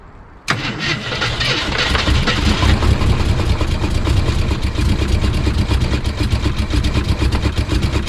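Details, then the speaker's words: Engine catches after a short crank and lopes lumpy and uneven with a heavy low thump, running on four cylinders: cylinder one dead from a thrown rod, cylinder five dead from a lifter pushed out of its bore. "but it runs on four cylinders now because cylinder number five is dead because of the lifter being pushed out of the it's bore cylinder number one is dead because it threw a rod"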